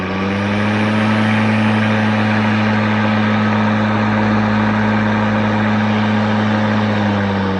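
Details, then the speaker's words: ECHO DLM-2100SP eForce 56 volt self-propelled 21" battery mower, new, switched from regular to turbo blade speed: smooth, steady hum at one constant pitch with no rattles or surging. "so that's in regular mode you can hear the blades and we turn on turbo"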